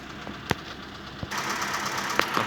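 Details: Mitsubishi E-Car 4G15 1.5 automatic, after a vacuum conversion to fix idle dropping with A/C on, gear engaged or steering turned: even, steady idle with no stumble or dip, a couple of light clicks in the bay; normal idle.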